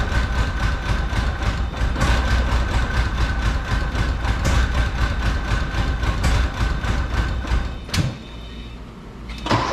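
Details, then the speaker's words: Rare Porsche 928 idling unevenly with a lumpy, misfire-like beat that sags, first time it has idled, after plugs and plug wires were reinstalled; owner still suspects a fuel issue, cause not confirmed. "thank you now it's idling wasn't doing that before wow hello getting better"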